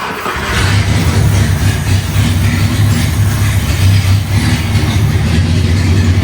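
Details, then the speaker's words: 1961 Mercedes-Benz 190, stored about 35 years with a previously seized engine, now running after long cranking: a deep, steady rumble with no stumbling or misfire. It runs well. "okay runs well now"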